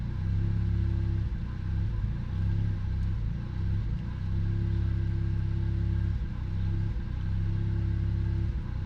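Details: Car that also jerks under load and hard acceleration idles low and steady but dips and stumbles every couple of seconds; uneven hiccup pointing to a misfire at idle, cause unknown.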